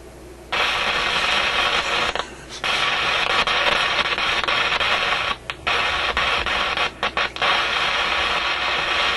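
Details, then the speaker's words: Warmed-up Canadian General Electric KM-5 vacuum tube radio: a loud hissy crackle cuts on and off with short gaps. The problem seems centred in the audio output circuit; a heat-related intermittent contact is suspected, not confirmed. Intermittent crackling noise. "m kind of sounds like a heat related thing or something he's making contact Heating and then breaking off it's quite a distinct on and off to it"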